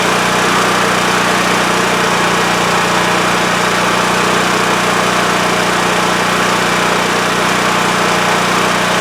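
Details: WEN TF1450X 14500W tri-fuel generator that used to lose spark and shut off after 20 seconds, after repair: loud constant roar holding steady speed without dying or hunting; running normally.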